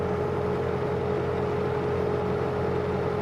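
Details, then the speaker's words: Bobcat T190 skid steer diesel after fan drive replacement, alternator belt and coolant change, slow to warm (thermostat possibly removed): steady even diesel clatter at constant speed, no knocks, squeals or fan rattle; healthy. "well that sounds so much better not having that rally fan Drive"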